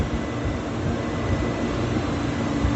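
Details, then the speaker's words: Beer walk-in cooler condensing unit, 208V three-phase compressor, after thermal overload reset and pressure control adjustment: steady, even low hum with no knocking, stutter or rattle; compressor running normally. "we're doing good so far so we're gonna go and put it back together"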